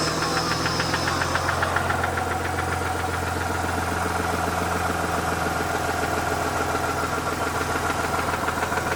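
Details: Mazda RX-8 Renesis rotary engine at idle: a regular light knock about three to four times a second over the hum; seems not the SSV, suspected from the rear of the engine or the clutch.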